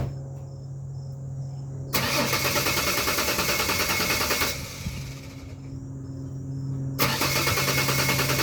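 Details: 2001 Ford Ranger XLT 4.0 V6 cranks about a minute before starting, only in the morning. Fuel pump, injectors, filter, plugs, wires, coil pack, regulator, crank and cam sensors are new; fuel pressure and compression were checked. Repeated starter churning, no fire.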